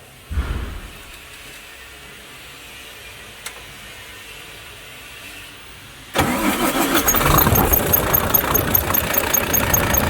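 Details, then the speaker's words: Volvo FH13 diesel idling two days after rocker replacement, sharp high chirp about four times a second from under the valve cover toward the front; squeak from a faulty rocker arm, replaced with a new original one. "приехала со скрипом из под клапанной крышки как скрипит сейчас я это все вам покажу"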